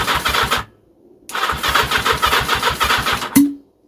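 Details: Engine turned over with its carburettors removed and everything else fitted, starter clutch previously suspected: two bursts of even, steady cranking at about 3.5 turns per second with no drag, showing normal cranking.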